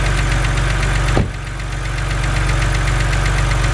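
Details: BMW 130i N52 engine at idle, bonnet open: light fast ticking about three per second over low idle rumble, following engine speed; sounds like a lifter tick from the top of the engine, said to be harmless.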